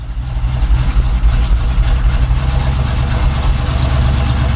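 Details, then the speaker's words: Chevy K10 pickup with new carb and intake and mechanical fuel pump, first start in about two months at roughly 20 degrees; deep, throaty V8 rumble at raised, slightly lumpy cold fast idle. "so it's got the fast idle going"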